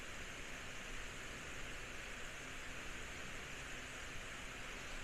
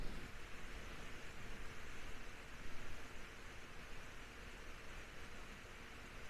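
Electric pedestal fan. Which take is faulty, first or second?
first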